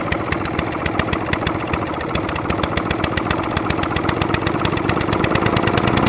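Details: Atco Balmoral 20S cylinder lawnmower that keeps cutting out: after adjusting the jet under the carburettor bowl, the small single pops fast but with uneven, ragged beats off choke. It still wants some choke and wants too much fuel, and a carburettor clean is suspected.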